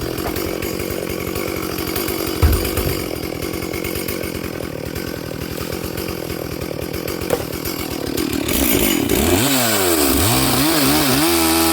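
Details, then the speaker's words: Stihl 440/460 hybrid chainsaw on its first tank since rebuild, rings still bedding in, at full throttle: blubbering, burbling, wavering pitch; the mixture is quite rich and it is four-stroking, so the carb needs a slight lean tweak. "So it is quite rich. It is 4-stroking on full throttle, but it's running in for this first tank of fuel."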